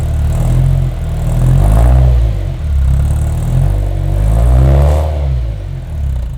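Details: Ferrari 348 after engine-out timing belt major service, first start: engine loping and surging unevenly, pulses rising and sagging about every second, barely staying lit; rough running, rich with smoke on right side, harness swap suspected.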